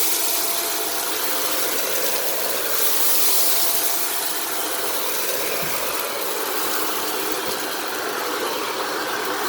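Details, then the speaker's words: Shark Rotator Powered Lift-Away NV750W vacuuming laundry beads: a harsh, hissy roar with a faint steady mid tone and rattle. The brush roll sounds bad with debris stuck in it, and beads are still falling out. "so now the brush roll sounds bad and there are still some beads falling out"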